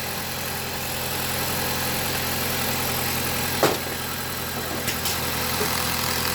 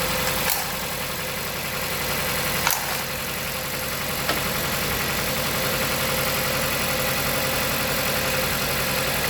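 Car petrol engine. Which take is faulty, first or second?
second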